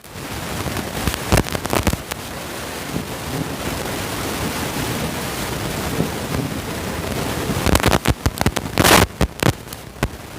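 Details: Ahuja SSA-250M 250-watt amplifier, powered on: irregular sharp crackles and pops over a steady hiss, bunching into bursts, from the amplifier output; a drifted bias resistor is upsetting the transistor base voltages.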